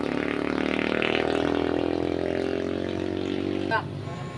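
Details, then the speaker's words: Skygo motorcycle road test after repair of no-rev, misfire and hard morning start: engine pulls cleanly with smooth steadily rising note, no stumble or hesitation at full throttle, rider no longer feels it bog; normal acceleration. "habang ginagamit ko ito mga idol ay feel ko na po yung arangkada no Hindi na po ako nabibitin"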